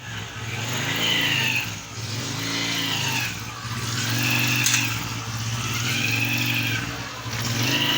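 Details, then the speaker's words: Honda CG 125 single revved: a high whine climbs with each blip over the exhaust note, a clutch-cover gear whine, pointing to worn clutch-box gears; replacing the gear set is the stated fix. "आज आपको हम बताएंगे विजय 125 की जो कि clutch बक्सा जो गूंज होती है यह को कैसे खत्म करने और आप वह कैसे आसानी और इजी तरीके से कैसे आप इसको आप तो खत्म कर सकते हैं"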